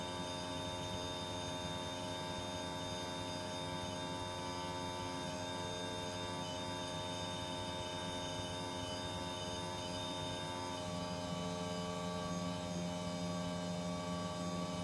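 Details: Panasonic split-system air conditioner running noisier than it should: constant loud droning hum with several steady tones and no pitch change; cause suspected but not confirmed.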